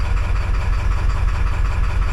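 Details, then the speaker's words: 7.3 Powerstroke diesel with a rough idle: deep idle with an uneven, lumpy beat and irregular stumbles. The owner suspects the passenger-side valve-cover connection is also bad, not confirmed. "let's crank it glare is awful great sure still running like Duty like dookie dookie that's probably not good for my engine Jesus that is awful"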